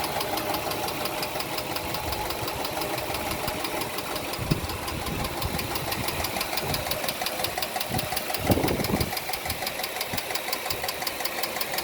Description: I decided to start my car today and it is making this annoying ticking sound that I can hear all the way in my house.